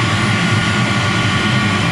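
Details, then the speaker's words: Commercial gas boiler with draft-motor-fed burner, being serviced for overheating, gas pressure still a little out: deep steady roar with a low rumble and no popping or pulsing; normal full-fire operation. "All right, so she's cranking out. Modulation wise, she's hammer time."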